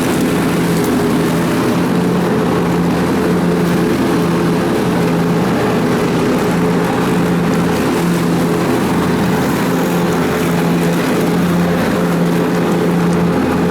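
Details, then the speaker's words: John Deere X300 riding mower with some hours on it, after repair, test run at high rpm with mower deck engaged: steady high-revving drone with an even hum, holding speed under the deck's drag; sounds normal. "you can see how it really likes this rpm"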